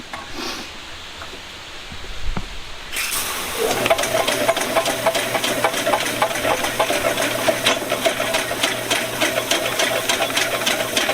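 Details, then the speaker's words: VEVOR 75 ft × 1/2 in auto-feed drain snake, cable being retracted from the drain: steady motor drone with quick irregular ticking as the cutter clicks around in the pipe near the opening; normal. "also just keep listening guys because you can hear when that when that cutter starts getting closer you can start to hear it clicking around in the drain and I can hear it now"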